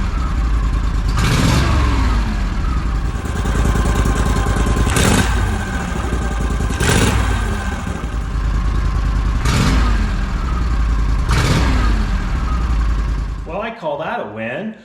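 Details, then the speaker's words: Argo ATV engine after fixing a throttle cable sticking open (throttle handle pushed on too far, pulled back just under a quarter inch): catches, revs in sharp blips each dropping cleanly back to steady idle before shutdown; normal return to idle. "little adjustment a couple of screws five minutes at a time and it's fixed"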